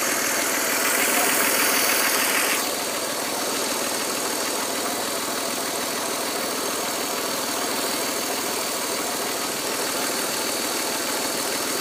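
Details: 1999.5 Audi A4 2.8 at idle, owner suspects a vacuum leak (the brake pedal goes stiff when the engine is off; check valve, suction pump and all PCV lines replaced): a loud, constant airy hiss over the engine note, easing slightly after seconds.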